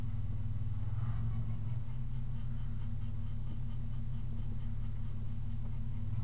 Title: 3.8 V6 Whining Noise